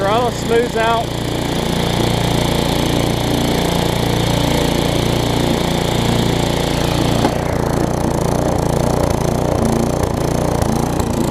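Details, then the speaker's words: Newer Tecumseh vertical-shaft engine on a 20-inch weed trimmer after aftermarket carburetor replacement: speed swells and falls about three times a second with no load, until the trimmer is engaged; no-load surging. "i went ahead and replaced this but you will hear this thing does surge and like i said it's because there's no load on the engine whenever it's running until you engage the"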